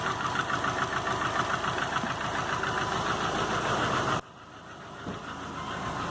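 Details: 2005 Subaru Legacy GT rebuilt (refurbished block, new crank and bearings, used rods/pistons and heads) after spun rod bearings; warm idle oil pressure 22psi, new plugs, no exhaust leaks, used VF40 turbo: sharp regular knock about 3.5 per second at idle, cause unknown.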